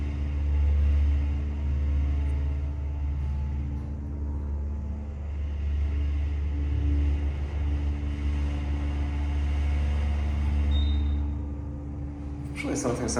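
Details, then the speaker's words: Dry-powered Mitsubishi parking elevator in downtown Sunnyvale: steady low motor hum with a faint buzzing rattle through the run; something sounds like it's vibrating in the ceiling, cause unclear, though the elevator still runs quite well. "something sounds like it's vibrating in the ceiling, but these still run quite well."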